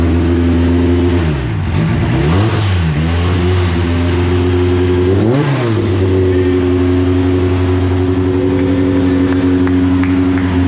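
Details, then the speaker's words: Deep Orange 9 car freshly rebuilt engine, first run, warming up on starter fluid: held on the throttle, revs rise and sag unevenly, never settles to its own idle; runs only with someone on the gas, cause unconfirmed. "of course it won't idle uh anytime that you saw nobody in the car and it running at a consistent operating Point meant that the a brick was just on the gas"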